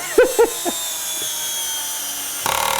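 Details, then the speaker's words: Drill driving faceplate screws into a large platter blank, a few squeaky driving bursts then a fast even rattling buzz as the clutch ratchets once each screw seats; normal clutch operation that prevents overtightening. "But the thing about the ratcheting is it stops you from over tightening the screw when it goes in."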